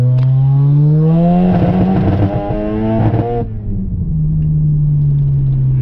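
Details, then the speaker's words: 1995 Mazda RX-7 FD3S turbo rotary on a test drive after an injector swap, rat's nest removal and a coolant/AWS bypass: rising tone, then stutters and crackles near 5,000 rpm under full throttle. Breakup is unchanged; it pulls fine at 20–30% throttle. "still breaking up really bad son of a well that's well just got back from the test run i'm a little disappointed it's still breaking up really bad just like it was in the in the upper eyes right around five grand"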